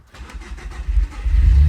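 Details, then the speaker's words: B7 Audi A4 2.0T EA113 after low-pressure fuel pump gasket replacement, ignition cycled five times to build pressure. Brief crank, quick catch, low idle slightly rough as the car has been doing lately, settling quickly; healthy start. "So we are started. It is running a little rough, but that's for whatever reason this car's been doing. It's more or less idled out already, actually."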